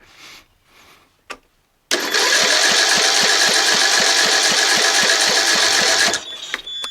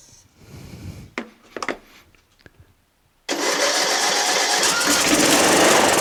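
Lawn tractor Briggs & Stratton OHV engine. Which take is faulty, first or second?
first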